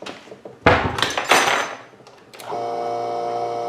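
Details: GSW submersible utility pump, part 306666, about 15 years old, run after bearing replacement and reassembly: a couple of handling thunks, then smooth steady motor hum with no roughness, normal pump running.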